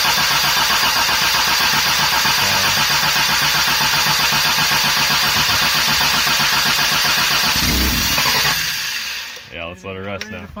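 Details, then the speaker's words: 1984 Toyota Tercel with a Weber carburetor, on first start-up: about eight seconds of fast, regular starter whirring with no catch while the mechanical fuel pump slowly delivers fuel to the carburetor. "it's a mechanical pump so we got a pump we got to crank it for a while before the fuel will run to the car"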